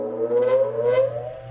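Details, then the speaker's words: Bench grinder set up for sharpening, not bolted down: steady, even motor hum with constant tone, no rattle, knock or vibration, doesn't move around; normal running. "see how quiet that is no vibrations it's not bolted down it doesn't move all around"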